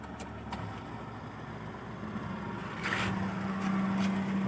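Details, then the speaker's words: Hyundai Atoz, long-stored, high idle fixed by adjusting stepper motor to about 850–900 rpm unloaded; quiet even idle, low steady hum as AC compressor engages and stays on without on-off cycling, which happens if rpm is set too low. Normal idle with AC on. "Karena kalau ini kita turunkan sedikit, nanti dia AC-nya on off gitu, nggak bisa on. Kita on kan AC-nya."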